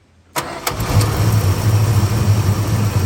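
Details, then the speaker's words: 1965 Dodge Custom 880 V8 starting for the first time in 3 years on a brand-new carburetor, starter jumped because the ignition key has a bad spot. Brief cranking, then it catches and settles into a steady, low, even idle: engine start. "She's running."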